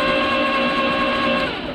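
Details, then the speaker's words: 1951 Studebaker 6-cylinder petrol engine during compression test on cylinder six: starter whirs at an even, unbroken pitch, spinning freely with none of the compression slowdowns of other cylinders; cylinder six completely dead, no compression. "so this cylinder is completely dead it has no compression whatsoever"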